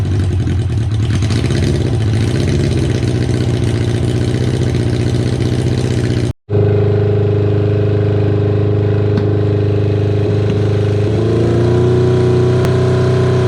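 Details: Kawasaki KZ550, carburetor just reassembled with air screw set about half a turn out, cylinder one idling poorly only at idle: uneven hunting idle with irregular pulse and unsteady revs on blips; vacuum leak from a split intake boot.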